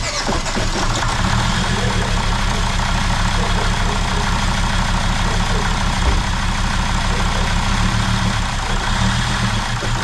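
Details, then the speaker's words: Jeep WJ Grand Cherokee 2.7 CRD diesel just after new injectors fitted, revved: uneven lumpy beat about three pulses a second, occasional odd knock, black smoke everywhere; misfire, owner suspects a diesel leak. "Just black smoke everywhere, but at least it's running. That's all we wanted. Sounds like a bit of a miss, so let's look for a diesel leak."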